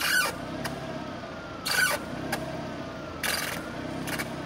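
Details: Sharp squeal rising and falling in pitch about every 1.5 seconds as the steering wheel turns, like a dolphin; it came from a dry bearing where the intermediate steering shaft enters the firewall, and lubrication fixed it.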